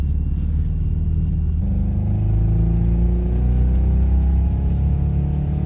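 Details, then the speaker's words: 1999 Toyota Camry LE after rod-knock repair with one cylinder deleted (piston welded up), running on three cylinders: deep uneven loping rumble pulling weakly under throttle; misfire with low power, check engine light shows misfire. "oh it sounds so wacky kinda sounds like a fiesta it doesn't have very much power at all"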